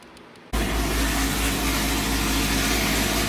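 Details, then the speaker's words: Car with 2-inch headers and 3-inch straight-out MDRP exhaust, after fixing the trunk ice-tank pump: engine catches and settles into loud, steady, deep drone with even rumble; extremely loud but healthy normal idle. "Alright guys, so I got the pump working. As you can hear, the car's extremely loud. 2-inch headers, 3-inch exhaust straight out, the MDRP exhaust, extremely loud."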